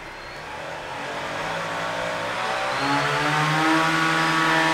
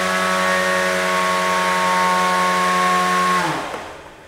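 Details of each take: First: Beetleweight combat robot weapon motor test at highest belt tension: spinner winds up slowly with a straining rising tone before levelling off; motor labouring and noticeably warm from the overtight belt, pulleys unworn. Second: Beetleweight combat robot belt-driven weapon drawing about 30 amps while spinning, clean steady high whine for about three seconds then smooth wind-down, no belt slip; normal weapon spin.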